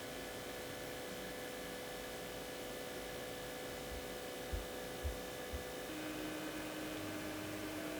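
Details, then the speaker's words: Xiaomi Mijia 5th-generation cordless fan (BPLDS05DM) oscillating left-right in a quiet room: faint steady motor hum plus a click at each end of the swing; cause unknown, possibly a defect. "어쨌든 좌우 회전도 기본적으로 모터 소음이 좀 있고 이건 왜 이런지 모르겠는데 좌 우회전 할때 끝이 점에서 딱 하는 소리도 나요"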